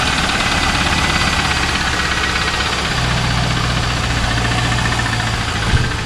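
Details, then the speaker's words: 2001 Pontiac Trans Am LS1 V8 with a knock, idling after Marvel Mystery Oil and Seafoam treatment: a dull, steady low knock pulsing with the engine, ticking not fixed. Cause unconfirmed. "Still got some ticking, knocking, whatever you want to call it, coming from the engine."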